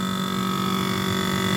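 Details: Whirlpool refrigerator under three years old: a constant low hum with a steady high whine from the evaporator fan inside the freezer, not the motor under the fridge as first thought. Fan noise caused by ice buildup.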